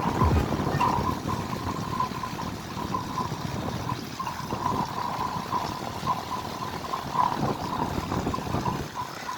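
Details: Home air conditioner outdoor unit whose fan spins slowly and heavily, making a dull rumble with repeated creaking squeaks, causing poor cooling, high amps and high electricity bills: worn condenser fan motor bearings.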